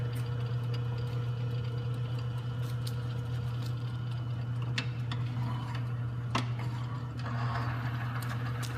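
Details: Lubricity tester bearing race greased with red Bentone grease containing moly, running before any weights are loaded on the armature. Steady low motor hum with a few light ticks and no high squeal; the lubricant film is intact and the bearing runs freely.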